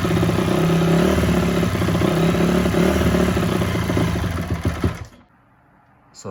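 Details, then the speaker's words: 2004 Honda CRF250 first start after a rebuild from blown-up. The single-cylinder thump rises and sags without settling, then dies. Runs perfectly mid to top but won't idle. Surging idle, owner suspects a pilot circuit issue. "as you can hear guys it's running but not that great I think um if I had to guess from the surging I'd say uh I've got a pilot issue because it runs perfect on the mid to top but I can't get it to idle"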